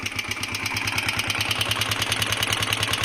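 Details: DM125 motorcycle: sharp, regular metallic knocking about three per second over the idle; customer suspected valve tappets, mechanic doubts it; worn piston slapping in the bore.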